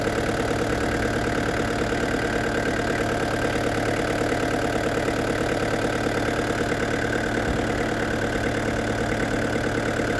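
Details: Restored diesel camper van with a new radiator, idling after a road test at up to 80 km/h. Steady, even clatter at about three beats a second, no knocks or misses. A slight diesel seep is seen at the pump; owner suspects a leaking seal.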